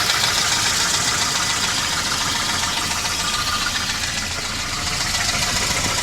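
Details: 1988 Volvo 240 GL at idle: sharp, fairly regular knock, about three to four per second, over a smooth running note; owner suspects piston slap, and the engine otherwise runs fine.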